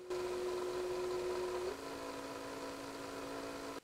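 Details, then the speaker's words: VW Amarok auxiliary EGR cooler coolant pump run by scan tool actuation; its wiring is OK and it operates, but it is noisy and probably worn, needing replacement. A loud, steady whine dropping in pitch. "the pump is that fellow just down there and you can clearly hear that it's quite noisy"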